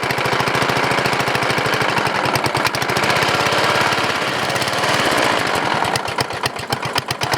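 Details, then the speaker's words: 14.5 HP OHV Briggs & Stratton single-cylinder riding mower engine, stock muffler, after coil/magneto replacement, unrun for years: sharp rapid knocking about six to seven per second, uneven; noise internal, persists with flywheel cover off, cause unknown. "well guys it's running somebody from pretty Givet is making an awful noise on the water what it is exactly sound like something rubbing somewhere I'm going to check it out a little bit ok guys so the noise is internal"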